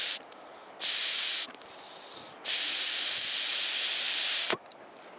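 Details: Stihl BG86 handheld blower, commercially used with probably thousands of hours, leaking fuel from the muffler: air blown and drawn through the fuel tank vent gives a clear, strong hiss in separate puffs; the vent passes air freely, not choked.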